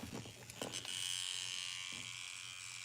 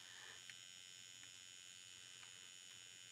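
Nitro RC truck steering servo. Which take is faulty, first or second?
first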